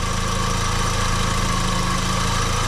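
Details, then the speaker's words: 2004 VW Golf 2.0 at normal idle after a new A/C belt install; the compressor turns freely, it is not locked up and only the belt was bad. Compressor running, both fans working, smooth even hum with no squeal or chirp from the belt. "the compressor is turning both fans are working you don't hear anything coming from the belt"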